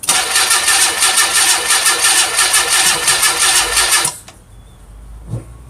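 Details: 1990 Mazda Miata, first start attempt after sitting a few years; only spark plug wires reordered to correct firing order, module wiring redone, fresh charged battery. Starter cranks evenly about four seconds but never fires; owner believes spark is present, suspects fuel supply (tank, pump).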